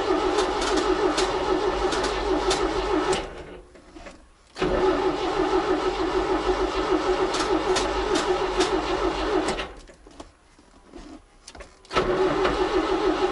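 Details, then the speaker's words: ZAZ 968M after standing two to three weeks: repeated bursts of brisk, even cranking with pauses and never a catch. No fuel from the return line; the fuel pump was not pumping. Crank, no start. "бензин не поступает в общем смотрите отсюда крутанул напрямую с обратки бензин не идет значит бензин не поступает"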